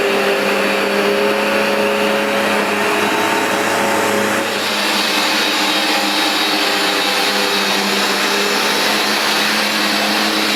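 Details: New replacement Vax Dual Power Total Home carpet washer on a very dirty new rug, producing lots of foam: steady high suction-motor whine with rougher dual brush-bar beating texture on top, even and unbroken; normal running.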